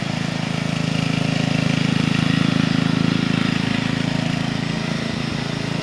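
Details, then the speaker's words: 1975-ish Snapper Comet 3081 rear-engine rider mower, 30-inch deck, 8 hp, restored and repainted, mowing a backyard: steady, evenly paced putter under mowing load with no misses, knocks or surging; running healthily. "here's my nephew helping me mow the back on with it he was helping me demonstrate the old machine it actually sounds good"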